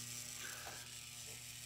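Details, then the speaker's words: Charge controller powered from wall AC through a rectifier: fast, continuous metallic ratchet-like rattle from the breaker under load, rectifier getting warm; breaker chattering, cause unconfirmed. "all right guys she goes certainly doesn't sound nice it sounds like this breaker is going crazy"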